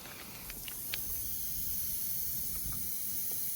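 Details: Grom clone mini motorcycle after a ride home, new CDI and ignition coil: a steady high airy hiss with no engine note, air escaping from a punctured tyre that can't be repaired and must be replaced.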